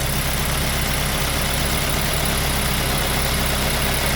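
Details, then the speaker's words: 2005 Mazda 3 2.0L 4-cylinder, 5-speed manual, after removing and manually cleaning all four injectors for random misfire; smooth even idle with steady low rumble, no stumbles or missed beats; running fine, no misfire. "okay guys guys running fine no any misfiring"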